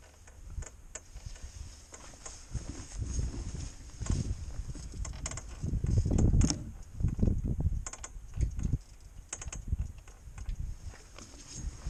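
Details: Honda Transalp motorcycle: sharp, uneven clicks and dull knocks from around the engine bay; owner rules out the rear shock, front forks and rear shock link, cause unknown.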